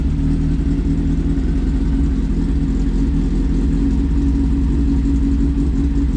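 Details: Smart car fitted with a GSXR motorcycle engine, first startup after the dash and throttle controls were wired, throttle worked by the foot pedal. A strong, even engine note holds steady without misses or knocks.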